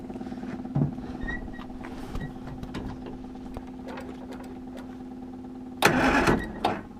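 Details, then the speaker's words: Classic Mini spare engine, first start attempt after fresh oil, filter and water: uneven idle broken by irregular sharp pops and a loud burst, with a bad smell. Owner suspects fuelling set up for a bigger engine, unconfirmed. Popping and rough running. "sound like it's like uh popping, isn't it?"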